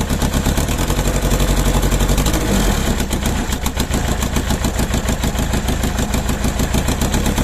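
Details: Mercedes OM611 diesel on a standalone factory Bosch ECU, second start with one bad injector: uneven, lumpy clatter at idle with a stumble every few strokes; misfire from the faulty injector.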